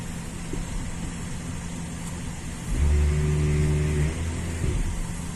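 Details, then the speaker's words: 2003 GMC Sierra 1500 4x4 during a scan-tool automated ABS bleed with the brake pedal held, after new brake lines left no fluid reaching the left front caliper: the ABS pump motor hums, steps up and buzzes, then drops back; normal cycling. "So you can hear it running the ABS pump motor."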